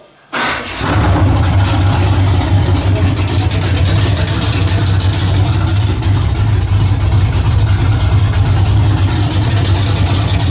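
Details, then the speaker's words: 1981 Camaro just after a top-end swap, on open headers with no exhaust, timing and carburetor not yet adjusted: cranks and catches at once, then a loud, steady, lumpy rumble with no knocks or misses; sounds healthy. "But I ain't got the exhaust on it, it's still open headers. But so far, sounds pretty good. I ain't set the time on or adjust the carburetor or nothing yet, but it's pretty close."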